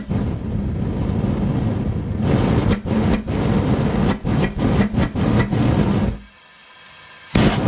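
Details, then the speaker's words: Homemade Frosty T replacement burner on an eBay furnace that wouldn't get hot enough to melt copper: deep roaring flame surges and drops in uneven pulses, cuts out and relights, hunting even with the air almost fully blocked off; pipe likely too long. "sweet i had to keep blocking the air off almost almost all the way blocked off and it kept on doing that hunting"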